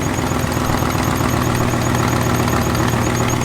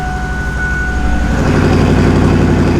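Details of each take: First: Turbo 5.0 V8 Ford Ranger on E85, running on factory programming: steady idle with a light, quick ticking that follows engine speed. Exhaust leak tick; a vacuum leak is also noted. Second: Turbo 5.0 V8 Ford Ranger, push-button start after new starter fitted: brief starter whirr, then a deep steady rumble with no rattle or screech, far better than before; vacuum and exhaust leaks noted afterward.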